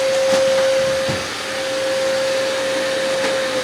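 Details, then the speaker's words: Robot vacuum-mop on maximum suction, about 68 decibels: loud, steady, odd-sounding mid-pitched whine over an even rush of airflow from the suction fan. "Un altro aspetto che non mi è piaciuto è la massima potenza di aspirazione. Pur non utilizzandola spesso, con 68 decibel risulta piuttosto rumorosa e produce uno strano suono."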